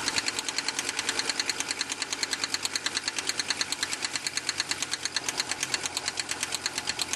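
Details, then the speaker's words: 1987 Audi 4000S, KX 5-cylinder engine, at startup and idle: sharp fast regular metallic tick about three per second; owner suspects an intermittent lifter tick that comes and goes despite oil being present, plans to try Seafoam. "I'm just going to show you the uh startup sound of my 1987 Audi 4000s and a concerning uh lifter tick coming from the engine"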